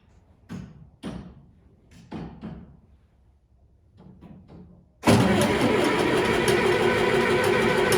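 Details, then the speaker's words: John Deere 2510 tractor diesel, cold start at about 24 degrees F in snow: several short cranking bursts with pauses before it finally catches and settles into a steady rattling idle; hard cold start, typically about three cranking tries. "a couple minutes of cranking and we'll probably start basically we just need to get a little warmth into that block from cranking and once we do it'll fire it right over"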